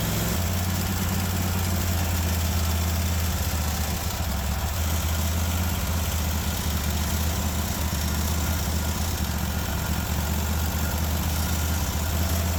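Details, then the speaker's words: Kohler 24 hp SV725 engine on a Cub Cadet 1050 Hydro with 52-inch deck, after carburetor work: it holds one fast, steady speed and never settles to idle. The governor won't let it down. "yeah the governor is not even letting it go down to idle I'm not understanding why perhaps we have a linkage or two out of place"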